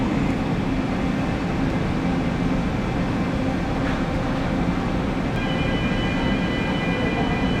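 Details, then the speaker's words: Press trolley running with steady rumble, rough uneven low growl and faint squeals, heard after replacing pressure and flow regulators for weak trolley pressure; worn noisy trolley, to be replaced. "So we also have a bad trolley. You can hear that?"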